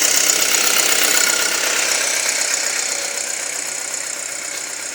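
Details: 2007 Audi A4 2.0T at idle: fast, even light ticking about four per second over a hissy top end, worsening over weeks; strong intake suction at oil cap/dipstick, engine chokes and runs rough, rpm sometimes rises, check engine light came on once; cause unknown.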